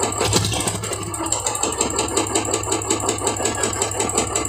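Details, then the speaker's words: Royal Enfield Classic 350 single idling with a sharp regular metallic tick-knock over the exhaust beat from deep inside the engine; internal engine knock, mechanic says the whole engine must be opened to fix it. "इसका जो है दोस्तों current account ये गाड़ी का जो है current में आवाज हो चुका है और गाड़ी का पूरा इंजन ओपन करना पड़ेगा"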